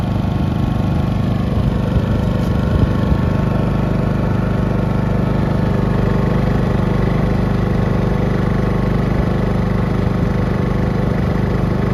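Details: New Westinghouse iGen4500 generator after about a week of use, running after first oil change and oil top-up: smooth, constant drone at steady speed with no surging, rattles or misses. Normal running.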